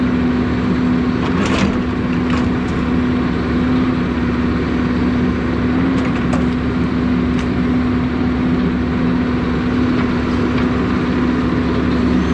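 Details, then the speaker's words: Cold-running diesel 160 tracked machine with power-loss problem, before strainer and filter check: even running, steady low tone, slight pitch wobble, no knocking or grinding; has power cold, so owner suspects heat-related issue, possibly oil viscosity. "it does have power when it's cold so that's starting to tell me it's a heat it's a heat related issue"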